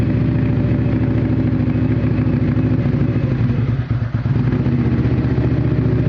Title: Outlander rough idle at cold start